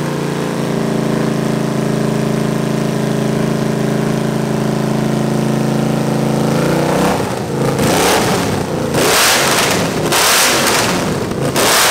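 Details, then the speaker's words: 361 Mopar big block Chrysler mule engine, first run on homemade run stand: steady and even held at fast speed, but sags and stumbles instead of idling when released; carburetor with barely any accelerator pump and leaking bowl needs work. "it sounds good but obviously it won't idle and I've got no accelerator pump really so and we got a leak here we got a nice nice leak out of the bowl so carburetor is going to need a lot of work"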